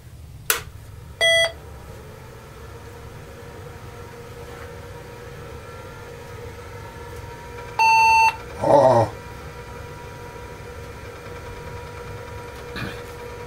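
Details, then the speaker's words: Datatech IBM PC XT clone (8088, empty 8087 socket, 640K) first power-on with no keyboard attached: faint fan hum, a short beep, then about seven seconds later a longer beep; POST flagging keyboard error. "all right we're plugged in let's see"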